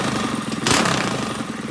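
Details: Predator 212 single-cylinder engine just rebuilt with valves set and a Mikuni carburetor fitted: fires quickly with a fast, even putter and one rev blip. Earlier smoke was only assembly oil burning off; it runs normally.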